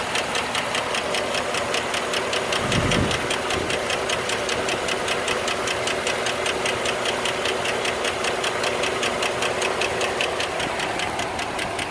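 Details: 2008 Suburban V8 at steady idle: fast, even, sharp, light ticking typical of a noisy hydraulic lifter.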